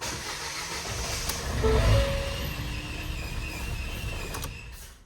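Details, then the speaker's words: Non-running 2016 Ford Fiesta 1.2 petrol after partial disassembly, first start after priming fuel pump: catches and runs with an uneven wavering note before fading out; rough running, cause unknown. "oh something is not right there it started guys but it just didn't sound right something's not right something's not right"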